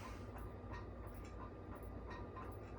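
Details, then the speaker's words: 1979 Casablanca K63 Victorian ceiling fan at higher speed; faint clunk about twice a second under a soft hum from a worn bushing in the switch housing and shaft, plus loose light-kit glass rattling; worn bushing clunk with glass rattle. "got a worn out bushing in the switch housing and the shaft it makes kind of a clunking noise which i don't know if you can hear that"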